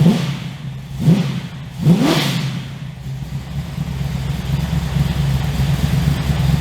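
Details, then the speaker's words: 355 stroker V8 in HX one-tonner, first run in about 11 years since dyno, aftermarket exhaust, shotgun mic walk-around: three sharp deep blips rising and falling, then a steady throaty idle with healthy exhaust growl; normal revving. "So I think the exhaust from Repco Engineering sounds amazing. I'm really happy with that sound."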